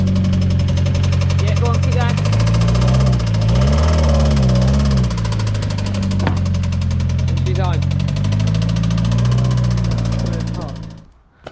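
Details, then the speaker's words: Mitsubishi Evo X 4B11 turbo engine after running low on oil, refilled, car creeping slowly: heavy steady knock about three times a second under low rumble, worse despite more oil. "That's quite a big knock compared to when we brought it here, actually, even though there's more oil in it. It's quite a big knock."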